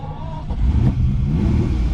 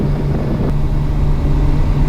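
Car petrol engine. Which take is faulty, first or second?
first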